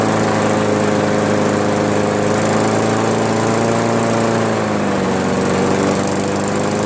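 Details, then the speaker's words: Craftsman push mower, Briggs 158cc, after cleaning carburetor and adjusting the fabricated governor spring tension: steady, even drone around 3000 rpm with a slight dip partway through; governor holding speed properly. "that's pretty good there we go that's okay those rpms are running around the 3000 area"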